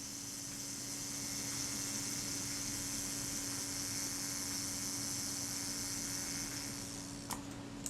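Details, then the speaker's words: Retina Reflex IV camera being serviced: self-timer run down during reassembly, a quiet, even high buzz for about seven seconds ending in a couple of clicks. Normal self-timer run-down. "so let's see if it runs down smoothly oh yeah it sounds pretty good"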